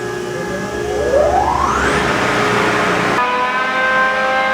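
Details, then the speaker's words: John Deere green F12-090 hydraulic motor returned for a customer-reported squeal, freewheeling with no load at about 2,300 rpm for 20-30 seconds: whine climbs on spin-up then holds steady, no squeal or grinding; normal. "That's That's like 2300 RPM. And last time we went up to 2300 RPM. Oh, the same. We don't hear the noise."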